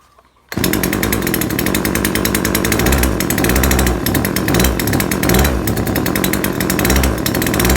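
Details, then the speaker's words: Neighbour's chainsaw that stops revving up after a while of use, unchanged after a previous tune-up: it runs hard with a rough, uneven note that never climbs; it bogs and won't rev, and the mixture seems too rich, carburation suspected. "แต่มันมีอาการเร่งไม่ขึ้นจริงด้วยครับคนจะเร่งไม่ขึ้นมันเหมือนมันเหมือนน้ำมันหนาครับ"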